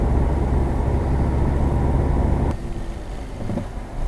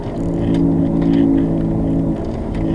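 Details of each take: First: 2007 Subaru Legacy test drive after the front wheel bearing replacement: road and tyre noise with no droning howl rising with speed, so the bearing is now quiet. A separate strange whistle persists, unrelated to the bearing. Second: 2007 Subaru Legacy, wheel bearings replaced about a year earlier; steady droning hum while driving that changes when the wheel is jerked left, indicating the inner half of a worn wheel bearing.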